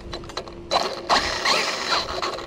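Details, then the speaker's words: Kraton 6S RC car after crashes: wheel not turning though the driveshaft is still attached. Uneven bursts of sharp ratcheting clicks from the drivetrain when driven; owners suspect the differential. "no look you're stuck see that you can hear it clicking that's the differential"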